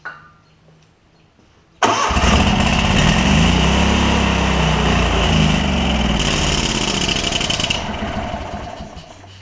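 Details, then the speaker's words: Kohler Command CH20 V-twin on a Lincoln Ranger 8 welder-generator, new fuel pump and lines, carb suspected full of junk, possible bad gas or water: fires and runs rough, surging and sagging before fading; suspected stumbling start from stuck carburetor float. "I'm Gonna Keep uh working on this see if we can get it it's really wanting to try to stay running so if I can get it to where it will stay running they will be in good shape"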